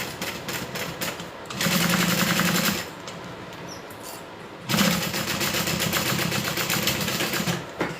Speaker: You hear that knocking? When I sew fast, my sewing machine has a little knock to it.